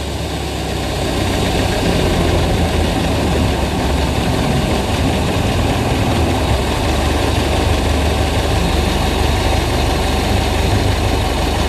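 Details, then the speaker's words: Carburetted Suzuki Zebra 1.3 with hard starting and a too-tight float needle: fast, even idle with a steady low drone and no misses. Idle set too high, so the idle/air screw is being turned down. "Mungkin dari para pemirsa yang belum mengetahui lebih dalam, mungkin dari setelan angin atau setelan idle screw. Kita turunkan dari idle-nya."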